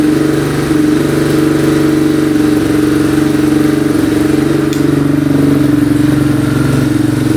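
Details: 2002 Yamaha Warrior 350 single, first run after carburettor cleaning and oil change: steady fast idle with slight revving, no misfires; sounds decent but smokes heavily, owner unsure whether oil burning off in the exhaust or it needs a rebuild.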